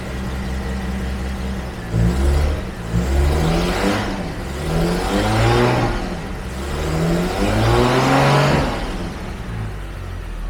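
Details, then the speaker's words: 1974 Jaguar XJ12 Series 2 carbureted V12 after sitting six years (was on 7 cylinders): revs and settles smoothly, now firing on all 12 cylinders; carbs still need fine adjustment. "Still have to do a lot of things with the carbs, but at least we're firing on all 12 cylinders now."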